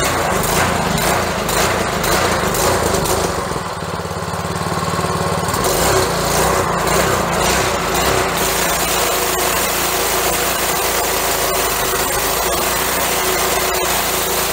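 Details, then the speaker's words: Honda-engine pressure washer after carburetor cleaning, at full throttle with the choke fully off: a strong, even small-engine drone with no misses or surging. It runs normally. "Okay now we'll note that our choke is now completely off and she's running smooth"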